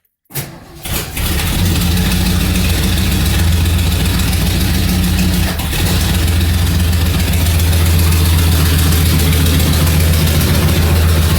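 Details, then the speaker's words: 1977 Mercury Marquis after the leaking fuel line to the carburetor was replaced and some emission parts were removed. It cranks and catches, then idles rough and uneven, sags, and stalls after about five seconds; it will not hold idle. "I'll run for five seconds and I'll stall you turn out again an Ellis don't keep idling"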